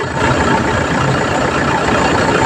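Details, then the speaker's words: Car idling with the AC compressor engaged after replacing the compressor magnetic clutch assembly; steady, even idle with no rattle or grinding, the earlier noise is gone. "so, wala nang ingay."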